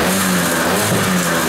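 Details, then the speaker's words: Kymco Vitality 50 2T scooter, cold engine, on the brake after the centrifugal clutch springs (previously very soft) were adjusted: the steady buzzing rev holds against the brake without bogging. Before the fix, revs dropped under slight throttle on the brake and it had no pulling power. "uwaga hamulec silnik jeszcze jest zimny co prawda ale widzicie już są obroty przy starcie"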